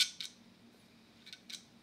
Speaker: I had the terrible Click Of Death that you get when your hard drive is trying to find a certain layer or sector and it just the head just sticks